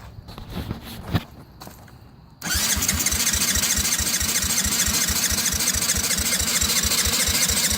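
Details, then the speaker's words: 1985 Yamaha Moto 4 80cc ATV with fresh fuel, lowish compression (decompression fitted), a resistor spark plug that tested bad and an untouched carburetor: the starter cranks steadily, even with choke, but the engine never fires. It only kicked once the carb was covered by hand; cause unconfirmed. "Nothing yet. Let's try the choke on. See if that helps any. Nope. Nothing."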